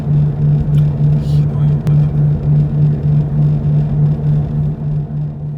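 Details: Toyota 86 ZN6 automatic, 57,000 km, while driving: low steady droning hum swelling and fading about three times a second, felt through the whole cabin floor. Cause found to be a loose, worn wheel hub bearing.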